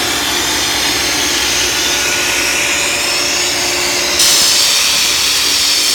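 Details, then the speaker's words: Ingersoll Rand SSR-EP30SE 30 hp rotary screw air compressor on 460 V three-phase, running to show it works: a loud, steady hiss and hum with no knocking or rattle, stepping up slightly as it loads; normal running. "We have it hooked up to 460 volts, and we're going to turn it on here and show you that it works."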